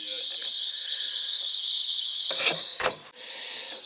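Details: Central AC unit, July: steady high hiss throughout with a couple of handling clunks near the end; refrigerant leaking from the coil area, distributor tube sitting in water, low on freon so water pulled into the system. Refrigerant leak.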